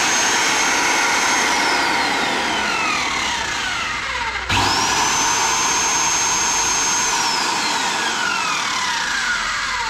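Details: Magnet drill after repair (field replaced with bearings, or field and new switch): high smooth motor whine winds down then spins back up cleanly to steady pitch, no grinding or bearing rumble; normal motor run.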